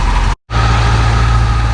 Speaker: Well, with all 8 cylinders firing, she's running good again.